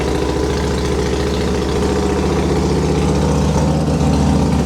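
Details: Harley-Davidson Fatboy being repaired after a wreck, first start after fuel lines reconnected: lumpy, even V-twin idle with deep loping beat, no knocks or misses; normal idle.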